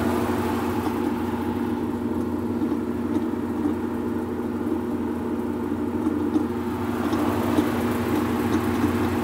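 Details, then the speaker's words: Whirlpool Cabrio washer, not washing or spinning, after refitting the off belt and tightening the loose pulley: steady even mid-pitched hum with pump drone, no knocking or scraping during drain and spin; normal. "all right guys so we have just gotten done checking the motor the belt and also the pulley which was loose and the noise that you're hearing let's take a listen I'm going to press start it's in drain and spin pump"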